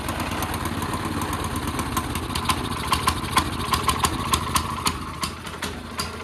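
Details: CT200U minibike on a stand after the Stage 1 kit and cone filter install: uneven chugging idle with irregular sharp pops about three a second and heavy smoke, possibly backfiring. Rough running, cause suspected, not confirmed.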